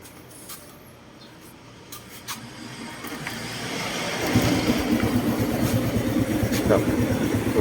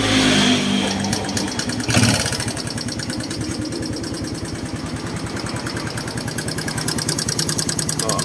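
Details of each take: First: Honda Wave 110i after valve clearance set tighter: quiet, then fires and settles into an even idle with no valve ticking; the earlier loud clacking from the top end is fixed. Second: Honda Wave 110i idling after valve cover refit, previous mechanic apparently left valve adjuster locknut loose: quick, even light ticking over the single's idle, still present; excessive valve clearance; valve tappet tick.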